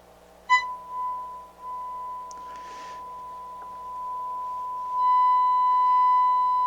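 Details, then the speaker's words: Harman Kardon HK350i receiver, auxiliary input fed a 1 kHz tone, on for only a few minutes: left channel turns buzzy and whiny with edgy overtones, right clean; scope shows heavy left-channel distortion, bias possibly off; cause not yet known. "we got that whiny noise in this whiny distortion the left channel right channel sounds good"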